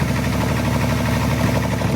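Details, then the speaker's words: Toyota Tundra hybrid: heavy, rapid, evenly spaced knock over a rough engine note; owner reported jerking, hybrid system failure and low oil pressure; diagnosed as a walked-out main bearing, engine toast. "I'm definitely, I can tell what's going on with the engine. That's definitely a walked out main bearing, and that engine is toast."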